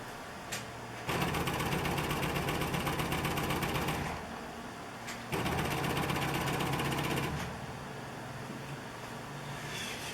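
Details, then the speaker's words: 1968 Fiat 850 Spider cheap electric fuel pump, mounted in the engine bay, priming with the key on before the engine runs: two bursts of loud, rapid ticking buzz rattling through its bolts. It works normally, just noisy; rubber bushings could damp it. "so you're going to hear it it's going to be really loud because it's a cheapy fuel pump but it works for now until i can get something quieter and a little bit better"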